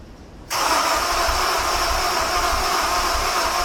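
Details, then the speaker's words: Honda S2000 cranks at an even quick beat for several seconds after fuel was cleared and injectors plugged back in, but never fires; crank, no start, cause unknown. "obviously that didn't work."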